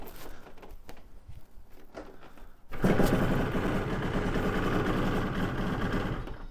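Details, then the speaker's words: 1992 Yamaha TZR 250 (3XV) two-stroke twin, kick-started after a 3-year rebuild and winter layover, on probably about 6-month-old ethanol-free super unleaded: catches after a pause, rough uneven burble, firing only on the forward/right cylinder. "it's just starting on the right cylinder at the minute or the forward cylinder"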